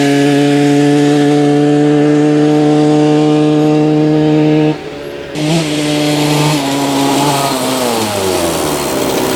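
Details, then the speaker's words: 1986 Yamaha YZ125 two-stroke barn find, first ride: revs flare and hang without the bike pulling, then sag under load. The clutch is slipping, with apparent slack in the adjustment. Unclear whether it only needs adjusting or the clutch plates are worn. "all right clutch is definitely slipping on this thing so let's try to adjust that"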